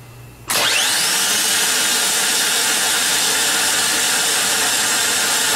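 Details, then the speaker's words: Harley-Davidson trike reverse motor bench-tested on a battery: snaps on into a steady, even high whir with light gear hiss as the Bendix extends and turns counterclockwise. Working properly. "so here's what it looks like and sounds like when everything is working properly you'll see the Bendix come out and turn in a counterclockwise fashion facing the drive end as the arrow indicates and you'll be able to hear the gears spinning"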